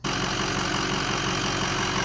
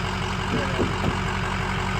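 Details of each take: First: 2005 Ford F250 6.0 Powerstroke diesel with 10-blade turbo, idling: steady low rumble and vibration from the front of the engine that nothing touched or pried stops, progressively worsening. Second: 2005 Ford F250 6.0 Powerstroke diesel after repair of a progressively worsening front-end vibration and rumble: steady idle with even, regular clatter and no shaking drone; the vibration is gone and the idle is normal.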